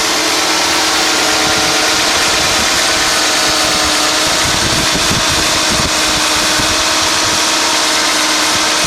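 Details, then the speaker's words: 1991 Mercedes-Benz 420 SEL (W126) at idle, engine on synthetic oil all its life: smooth, quiet, even idle with soft airy whoosh as the hydraulic fan clutch disengages. "Very, very smooth and quiet."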